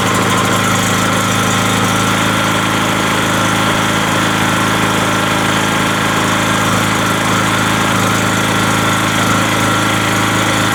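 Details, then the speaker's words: Rotakt electrical generator, brand new, on its first start after adding Rotakt oil, pull-started with the choke on. Loud, steady drone at constant pitch with no knocks, surging or misses. It started very easily and runs smoothly. "shoot the starter for the engine lubrication it started very easily :)"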